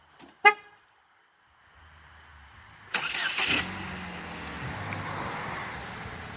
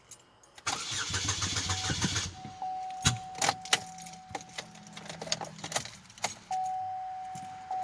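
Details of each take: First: 2008 Chevrolet HHR with a cam/crank correlation fault, bought with no exhaust and an out-of-time engine. First start after a new timing kit and exhaust. A horn toot, then a quick catch and an even, quiet idle with no rattle. Normal start and idle. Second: 2008 Chevy HHR with codes P0016/P0017, cam/crank correlation, driven in out of time, newly fitted catalytic converter: door chime, cranking, then loud raw running with uneven clattery slapping underneath; timing chain slap, broken timing chain guide found.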